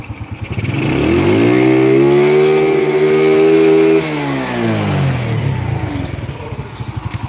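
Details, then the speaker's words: Honda Grand motorcycle on a fresh engine with an SDG aftermarket CDI fitted, rev limit test: climbs from idle to a scream and hangs at peak, feels held back, not revved full; revs flatten at top end. "Oke, naik sampai jerit. Tapi masih ada beban, kayak ketahan gitu. Kerasa banget di tangan aku."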